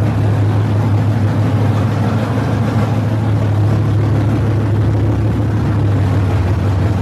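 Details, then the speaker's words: Barn-find Monte Carlo SS with a 383 V8, revived and running. A deep, steady rumble without knocks, misses or ticks; healthy. "Sounds good. I think we're probably going to end things here."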